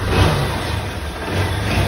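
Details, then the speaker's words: 160 cc motorcycle after a rebuild with a new connecting rod, cylinder kit and valves, having been hard to start with a terrible knock: a steady, low single-cylinder beat with no knocking or rattle; it now runs normally. "zero tá aí ó Show de bola e tava ruim de pegar né E era um barulho terrível né terrível meu Deus do céu tá aí ó aí show de bola mesmo"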